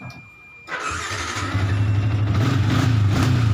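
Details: Motorcycle engine after an ignition key switch (kunci kontak) repair that previously would not switch on: it catches after a quiet moment and settles into an even, steady idle with no stumbling or cutting out, a healthy start.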